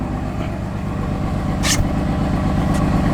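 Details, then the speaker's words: Car at cold idle with no check-engine light: the idle pulses unevenly and lumpy and the engine shakes; a rough idle of unknown cause, and the car is about to be driven home. "Guys, you hear that idle? No bueno. Sounds bad."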